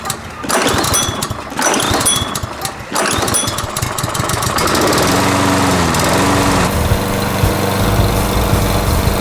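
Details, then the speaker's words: 2012 Toro Super Recycler lawnmower after its carburetor, which had a float problem, was cleaned and rebuilt with a kit. Several cord pulls, then it catches and runs at a steady, even drone with no surging; the carb rebuild was successful. "So there you go. Took a little bit of time, but finally got it. A successful carb rebuild."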